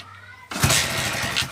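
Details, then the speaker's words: Hero Honda Splendor Plus single-cylinder after replacing the pickup coil, which fixed a spark-but-won't-start fault; ignition on, one kick and it catches straight away, settling into an even, steady putter with no misfire or stumble; normal kick start. "जैसे ही मैं इसके kick मारता हूं तो bike start है"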